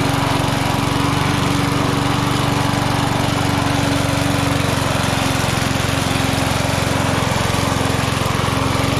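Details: Vintage inherited lawn mower being revived: engine holds a smooth, even drone at steady speed with no misses, knocks or surging; running healthy.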